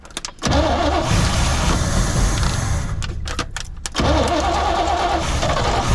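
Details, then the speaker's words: 1972 Chevrolet C20 pickup V8 revived after over 20 years in storage: fires and runs, then sags and dips when throttle is opened before picking up; stumble on throttle, owner suspects failed accelerator pump, carburetor needs work. "oh well i bet that accelerator pump is probably kapoot's might need a little carburetor work but it will run"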